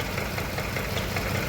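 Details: 2015 Range Rover Sport after an engine replacement with a persistent cylinder 5 misfire: a low, uneven idle stumbling in an irregular beat. Compression loss was found, and a teardown confirmed a burnt valve.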